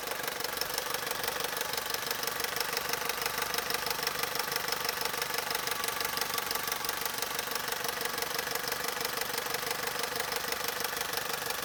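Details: Opel/Vauxhall Corsa 1.2 Z12XEP 80 hp at idle: fast, steady metallic rattle at about three per second, even and constant; timing chain rattle.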